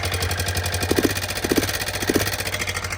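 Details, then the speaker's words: Honda FourTrax 300 ATV running without its airbox components after tank cleaning: uneven single-cylinder idle with a light rattling tick in short clusters about every half second. Owner suspects the timing chain, unconfirmed. "Time and chain."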